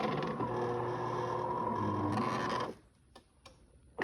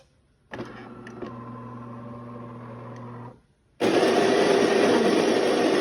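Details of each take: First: DeLonghi fully automatic coffee machine, brew unit travelling: rhythmic grinding creak about four times a second, then stops; dry brew unit lift rail, fixed by oiling the rail. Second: DeLonghi fully automatic coffee machine grinding beans: steady low whirring hum for about three seconds, then a loud even rushing hiss; normal grinder sound, not the fault.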